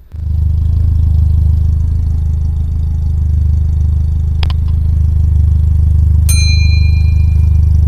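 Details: Carbureted Toyota Corolla DX idles with a deep, uneven, stumbling exhaust thump, black smoke, and black sooty spark plugs and tailpipe: a rich-mixture misfire blamed on a dirty carburetor, cleaned as the fix.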